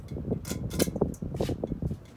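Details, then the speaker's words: Dynasty Hugger 52" ceiling fan, model CF-HA52, from January 1988, with added floral glass globe: soft fan hum with light irregular ticks as the unextended pull chain taps the globe like a metronome. "It's funny, Mark was saying that the globe, the poaching hitting the globe makes it sound like a metronome of some sort. Which I agree."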